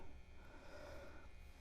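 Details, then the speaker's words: MXR Phase 90 pedal fitted with a true-bypass switch, on battery: near-silent background buzz, then a sharp pop each time the footswitch is clicked; input capacitor to be replaced, cause suspected, not confirmed. "Gets a little bit different when you plug the cable in. A little bit louder. But listen to this. Very noisy. Every time it pops."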